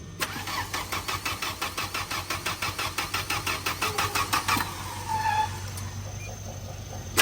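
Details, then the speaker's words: Tata CNG car, timing belt recently replaced, hard starting, weak power, stalls at idle, shaking: starter cranks about four seconds before catching, air-leak hiss heard; leaking gas injector suspected, injectors checked one by one; cylinder 4 injector replaced. "อ้าวออเหมือนมีเสียงรั่วเดี๋ยวดูก่อนว่าหัวฉีดรั่วหรือเปล่าอ่าเหมือนหัวฉีดรั่วนะฮะ"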